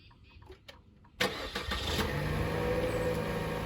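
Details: 2014 Chevy Cruze 1.4L after tune-up with new Autolite iridium spark plugs, remote-started: quiet, then a quick crank that catches at about one second and settles straight into a smooth, steady idle; a healthy start.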